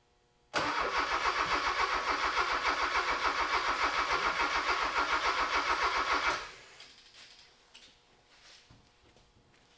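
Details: Honda K24 engine swapped into a sandrail, with newly installed harness and ECU, oil pressure present; even starter cranking about three and a half turns a second for six seconds without firing; ECU was holding ignition timing wrong, injectors possibly bad from sitting.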